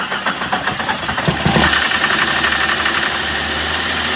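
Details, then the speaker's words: 1987 Jeep Comanche after long sitting, oil checked and cranked to circulate it: catches and settles to a rough idle with fast, light ticking above the running sound; owner hopes it's valve lash or lifter tick from sitting, unconfirmed. "I'm hoping that that was some valve lash you know some lifter ticking because it's been sitting it hasn't gotten a ton of oil up there though"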